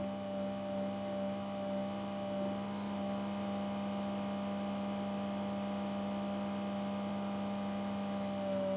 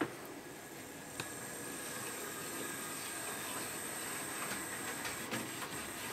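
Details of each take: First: Original Hornby-fitted P2 Cock O' The North flywheel motor, removed and static tested off-load: starts turning about 4 volts and jumps into life; steady whine with pitch dips, speed varying considerably, slowing suddenly then recovering; motor speed surging. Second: Hornby P2 Cock O' The North model loco after replacing the original flywheel motor (blamed for jumping into life, sticky running) with a new motor plus two capacitors, body refitted: soft even motor hiss, light track clicks, no grinding; smooth running.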